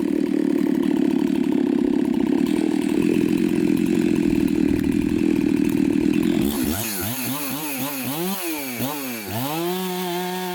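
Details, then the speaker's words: Chainsaw with an apparent mild port job, test cuts after bench repair and retune: strong, even high-rev scream through the cut, then a clean idle with crisp blips; may need fine tuning; healthy running under load. "but i am so stoked right now this saw is probably the best running saw that i have it's got a seems like a little mild port job on it"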